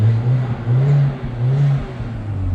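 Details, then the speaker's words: 2005 Audi A4 Quattro turbo, Copart rebuild: deep exhaust rises and falls through a few quick blips, smooth and even, with a little turbo whistle; healthy turbo engine revving normally. "hear that little whistle. Hopefully you can hear it in the mic, but we'll get that there."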